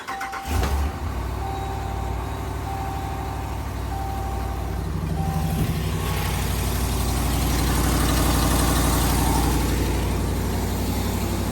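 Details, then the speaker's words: 2019+ 5th-gen Ram with 5.7 Hemi V8, started cold and idling: a sharp, regular tick about four a second, often mistaken for lifter tick, from a cracked thin exhaust manifold. "So anyway, I'll uh crank this thing up and uh let you see what it sounds like because a lot of people are getting confused with lifter tick and it's off sound."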